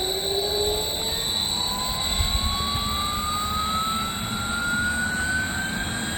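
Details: 3-phase 7.5HP (5.5kW) regenerative ring blower used as CNC vacuum pump, run on a 10HP VFD, after cleaning debris out: steady even airflow roar climbing smoothly as it speeds up, no grinding or knocking; sounds much better, acceptable.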